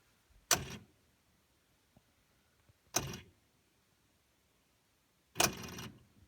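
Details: Frigidaire side-by-side fridge, fresh-food side: three sharp rattling clicks, brief buzzy bursts a few seconds apart; owner suspects adaptive defrost control kit or damper control assembly.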